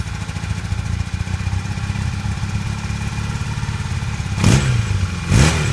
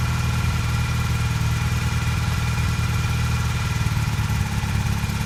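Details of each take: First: 1982 Honda CB450 twin after new petcock and airbox parts, idle set: even low idle with two quick throttle blips picking up cleanly and settling back; runs better with airbox fitted, in good shape. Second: 1982 Honda CB450 twin during restoration, after new petcock and airbox parts, while setting idle: slightly uneven loping idle with occasional stumbles, still a bit rough but steady and better than before.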